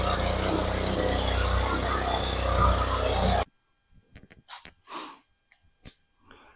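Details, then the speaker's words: Craftsman lawn edger/trencher that sat unused about 5 years in a garage, after carburetor cleaning, started first pull; small single-cylinder engine holds a steady, even running note for a few seconds before shutoff; smoking, owner thinks from oil on engine; runs normally. "Well, that was very surprising and a good outcome. I mean, that first pull, it started right up."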